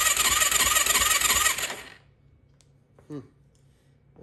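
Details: 2004 Yamaha YFZ450 ATV after rebuild with new exhaust, first start attempt: starter chugs evenly about two seconds without catching; engine completely dry, new oil filter, 8mm bolt loosened to prime oil system to head.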